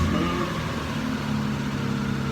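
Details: 1993 Nissan D21 Hardbody, 3.0 V6, after replacing bad fuel injectors: smooth, even idle with a steady low drone and no misses or stumbles; runs like new, normal idle.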